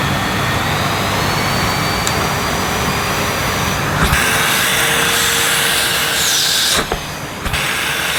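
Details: Panasonic MC-E862 cylinder vacuum, new-in-box, running on minimum power: steady airy rush with a faint high whine, even throughout, no surging or rattles; nice bit of suction, normal running.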